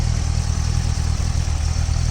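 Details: 2008 Chevrolet Corvette C6 LS3 V8, after curing a random two-cylinder misfire; low, steady idle with an even beat and no stumble or shake, no fault codes; firing on all cylinders.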